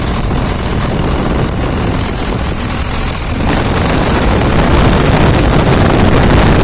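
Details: 2000 Dodge Ram 2nd-gen Cummins diesel idling after its AC compressor pulley was bypassed with a 65" non-AC serpentine belt: deep, steady clatter with an even beat, no knocks, squeals or slipping belt; normal idle.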